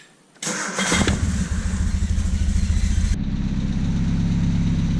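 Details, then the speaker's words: 1978 Triumph Spitfire after fitting a new distributor and coil, timing set to about 8 degrees BTDC: starts at once with a brief flare, then settles to an even idle around 1,000 rpm without misses. "Alright, I've got it running. As you see, it's idling about 1,000 RPM."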